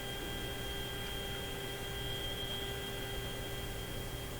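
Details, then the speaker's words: GE CL541A ship radio: a constant high whistle, estimated 3–4 kHz, over faint hiss, heard with signal generator connected; louder when one IF alignment screw turns one way, less beyond proper peak; suspected noise signal near the 460 kHz IF, unconfirmed. "It just sounds to me like there's some noise signal, maybe not at 460 but at 460. What would it be? That sounds like about a 3 or 4 kilohertz tone there."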